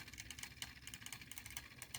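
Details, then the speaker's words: 3D-printed Newman pulse motor, smaller prototype scaled down at least 40%, dropped from 2.6 to 2.3 volts: fast even train of light clicks from the pulsing coil, no stumbles, still going; normal running. "2.6 volts let's drop it down again 2.3 still going"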